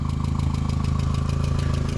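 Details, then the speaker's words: 2001 VW Jetta at idle: quick light ticking about eight per second, believed to be valve train rather than bottom end; valve adjustment considered, cause not confirmed. "well it's the valves it's not the lower block you know keep them on there"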